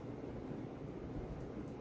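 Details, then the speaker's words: 52-inch Supreme Fan Mark III "Emperor" ceiling fan with spinner motor, salvaged from abandoned house, first power-up: low even hum with soft air rush, no ticking or wobble; runs smooth and powerful. "So let's turn it on. Oh wow. I'm impressed. It is a real powerhouse."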